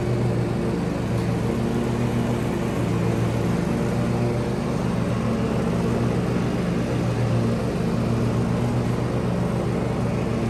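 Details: Kohler single-cylinder lawn tractor engine (John Deere/Husqvarna/Craftsman) that had been surging, run after replacing the fuel filter: a steady, even low drone with no hunting or surging; it holds a smooth, constant idle.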